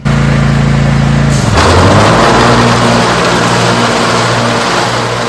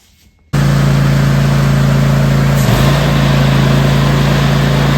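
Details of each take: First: Cub Cadet zero-turn mower after the owner changed the blades: engine idles smoothly, then the deck engages and a harsh knocking clatter starts, from improperly seated blades. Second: Riding or zero-turn mower deck running with the blades off: a steady, even drone with no knocking, rattle or vibration. The earlier vibration came from blades mounted in the wrong position and loose; the belts and pulleys are fine.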